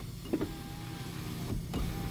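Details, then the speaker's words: 2007 Hyundai Santa Fe 2.7-liter automatic, 214K miles: driver's power window motor hums steadily down in one smooth auto-down pass, soft stop thump, then back up; window working normally. "comes back up, and that's an auto down."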